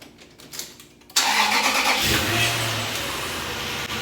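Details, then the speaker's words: Truck cab being stripped for a Jeep CJ build, started with battery reconnected and airbags, seats and dash gear removed: a short crank, then it catches promptly and runs steadily with no misses or knocks; normal start. "Cranks and runs, all that out."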